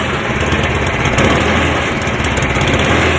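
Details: Cub Cadet 1030E snowblower, 10 hp electric-start engine, choke on, reduced throttle, in neutral, carb needs cleaning: loud, steady buzz at even speed, no knocks, misses or grinding; started easy, normal running.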